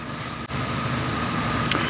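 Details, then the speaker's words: Chevrolet The New Aveo 1.4 sedan, gasoline, 123,000 km, idling with heater on: smooth, even idle hum, faint steady tone, no knocks or ticks; idle vibration well controlled, rising slightly in reverse and drive, no fault codes. "지금 아이들 진동이 교속 진동이 전 잡혀 있죠"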